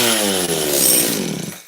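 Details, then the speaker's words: Makita DCS540 chainsaw, air filter refitted (may run a little richer), lots of compression, seemingly advanced timing: short crisp burst of revs falling away cleanly with no stumbles; sounds right, running normally. "Okay. Huh? That thing definitely sounds right."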